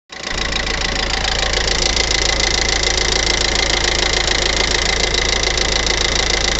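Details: 2015 Hyundai i40 at steady idle with a sharp, fairly even tick about three per second, louder after the timing chain was changed; source unclear.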